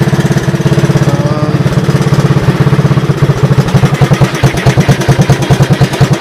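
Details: 1984 Honda ATC 200S with a new carburetor and replaced gas tank, on a roughly 90°F day: quick, steady single-cylinder thumping, even and unbroken. It idles healthy and starts right up.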